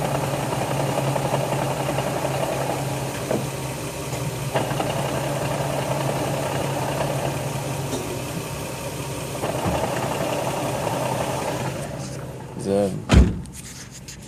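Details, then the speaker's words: Nissan 350Z at standstill idle, clutch, pressure plate, flywheel, throwout bearing and slave cylinder replaced two months earlier: scattered dull knocks and faint grind while clutch pedal held down, intermittent; clutch knocking noise, cause unknown. "of like a knocking grinding sound whenever I push in the clutch goes away comes back"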